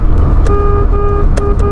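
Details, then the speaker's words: Pointer horn: thin, reedy, nasal toots over engine idle, too weak for others to hear; horn unit needs replacing. "my horn It sounds like nasal And even if we use the horn, they don´t hear it"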